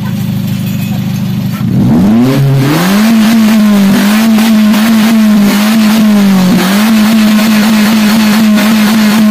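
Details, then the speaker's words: Daihatsu Gran Max revved to the limit: a wavering, hunting note that keeps sagging. A catalytic converter clogged by poor fuel quality from running daily on Pertalite. "Jadi, itulah tanda-tanda katalis, katalis atau konverter katalitik tersumbat karena kualitas bahan bakar yang buruk ."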